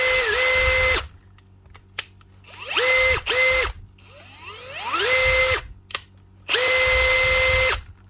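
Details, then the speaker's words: Makita DHP483 18V compact drill after a new 604 bearing and grease, with the worn chuck not yet replaced: short trigger pulls give a clean, even whir that rises and settles smoothly with no grinding, now quiet and healthy. "And now, what does she sound like? Aha! Was that little bearing, or just the grease?"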